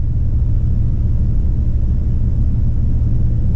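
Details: 2003 Chevy Trailblazer LTZ 4x4, 4.2 I6, idling to warm up after new valve cover and intake manifold gaskets, plugs and coils to cure an oil leak causing P0305 cylinder 5 misfire: deep, smooth, constant rumble with no stumble or miss; healthy idle.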